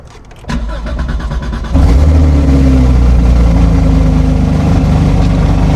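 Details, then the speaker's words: Damaged salvage car at Copart with automatic transmission and rear-end damage, cold start: cranks and starts nicely, then a loud, raspy, uneven fast-idle rumble; a little exhaust leak is suspected from the rear damage, not confirmed. "So it makes sense. I mean, there's obviously some damage going on back there, so it's not as purring as you think it would be, but a lot of stuff happening back there."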